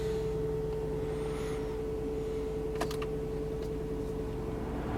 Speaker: I figured that. The engine's pretty healthy in here.